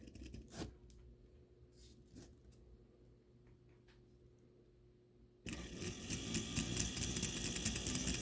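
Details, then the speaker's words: Life-Like Proto 1000/2000 model locomotive powered on: quiet motor whir with odd clicks then harsh rapid clatter as cracked axle gear teeth jump, locking up in reverse; gear skipping from cracked axle gear. "If you can hear that and see how this gear is jumping, and if I reverse it, it's actually just straight up locking up."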